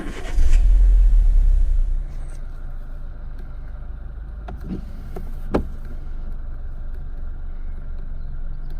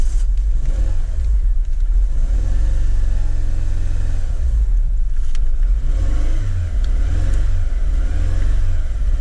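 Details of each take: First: 2010 Renault Megane 1.6 petrol, 60,000 miles, after replacing the cylinder 4 fuel injector, spark plugs and one ignition coil to fix a misfire; it cranks and catches cleanly, then settles into a smooth, even idle with no stumble. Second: 2010 Renault Megane 1.6 petrol at 60,000 miles runs with a deep, uneven, lumpy pulse and irregular rev swells, a misfire from a faulty cylinder 4 fuel injector, fixed by replacing that injector.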